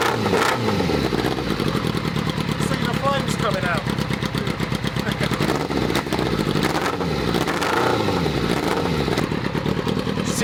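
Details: Unfinished buggy with 600 cc motorbike engine, first start on choke, cold: catches and runs uneven and lumpy with stumbling idle pulses; owner suspects it needs a tune or has missing pipes.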